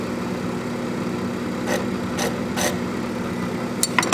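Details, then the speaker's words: FAV AV2 leather skiving machine: steady motor hum sags under load with raspy scraping bursts as leather feeds. Motor struggling because the blade is dull. "what that's doing is knocking down the surface it's removing some of the Emery grip and getting clean but man is struggling right she's not getting there"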